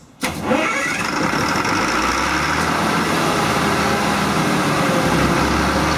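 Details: MEP-006A military 60 kW diesel genset, first start after sitting 3+ years, enclosure doors open: quick crank, catches at once, then settles into a steady, even idle with no knocks or misses. Healthy start.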